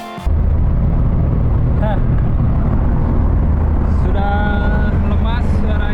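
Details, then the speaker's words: Old car after repair: the scraping came from a misaligned propeller-shaft coupling adapter, and the wing arm was cut to original length. Road test has a steady low rumble with no metal scraping or grinding; the drivetrain is quiet. "Overall sudah beres tanda sudah tidak ada suara-suara anomali lagi. Sudah senyap, tidak ada suara besi bergesek."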